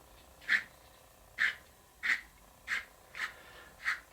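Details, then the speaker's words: Cheaper generic dowelling jig's centre tightening knob turned by hand gives a harsh, grinding squeaky rasp with each twist, unlike the smooth-threaded pricier jig; the thread is poorly cut and binds. "I don't know if you can hear it can you hear that it's almost grinding it's not a smooth thread"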